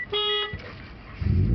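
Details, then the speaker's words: Mitsubishi Eclipse with 420a engine after serpentine belt replacement: short steady alarm tone, then starter cranks and engine catches; alarm sounds at start-up, cause unknown; idle near 2000 rpm afterwards. "you run the car, and the thing stops. Something with this alarm is not working properly, and I don't know why."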